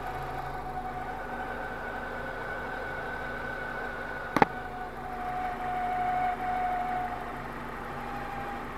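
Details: BMW E46 at idle: steady idle with a brief sharp click and short thin whine that comes and goes; abnormal engine noise, cause unclear.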